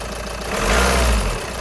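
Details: VW Sharan 2.0 TDI CFFB after fuel filter replacement and bleeding: even diesel clatter with a brief, clean rise in revs, then a steady idle; engine runs healthy; normal idle.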